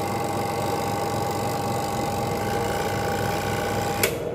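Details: Washing machine spin motor after replacing a weakened capacitor; the spin-dryer timer is on and the spin is now faster. Steady hum and clean whine, then a sharp stop; the spinner sounds healthy.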